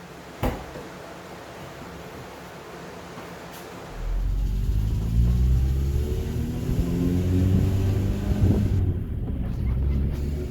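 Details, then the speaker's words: Honda Civic with swapped D16Y8 engine, after valve lash adjusted to spec, not fully warmed: engine catches and settles into a low idle with light, regular ticking; still ticking loud, owner suspects the injectors. "Not really sure if it sounds that much different. I mean, it's still ticking quite loud. Could very well just be the injectors."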